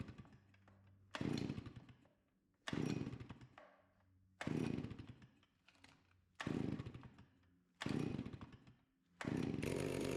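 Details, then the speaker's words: Stihl 041AV anti-vibration chainsaw, 28 in bar, sat at least 5 years, cold start at about 37-38°F after stop switch cleaning. Revs in sharp bursts and drops back to a steady, even idle. Runs cleanly and responds well. Normal running and idle. "not too bad for sitting so long it fired right up I don't remember how many pulls that was but it started took the choke off and it just sat there and purred"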